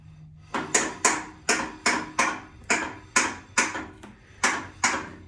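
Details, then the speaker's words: Willys Jeep front differential locker, axle jacked up, wheel turned by hand, no gear oil yet: sharp metallic clicks about every second, somewhat uneven, in a quiet room; locker ratcheting normally, louder without oil. "it won't make that noise as loud when there's a gear oil in there I didn't put gear oil in there yet that you could hear it ratcheting in there"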